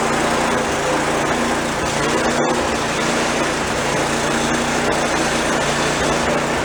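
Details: Old snowblower small engine after drive cable/spring repair, function test: steady even buzz with no hunting, surging or misses; runs smoothly, only brake needs adjusting.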